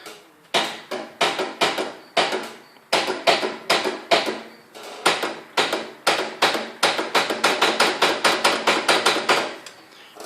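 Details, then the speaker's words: Riding lawnmower with a new battery, running until yesterday, key turned: rapid uneven sharp clicks in bursts, loudest toward the rear, with no cranking or firing; the engine isn't turning over, and the owner suspects spark plugs, unconfirmed. "we go towards the back here most of the noise comes from back here i guess that's when it's pulling the power from the battery which is where that's at it's not engaging that transmission that's underneath it's just not getting turned"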